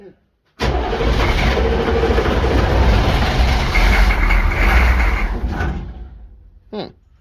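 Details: Military Humvee diesel abandoned 13 years, cranked after the glow light goes out: heavy, uneven, labouring crank of about five seconds that fades out without catching; long hard start, cause unconfirmed.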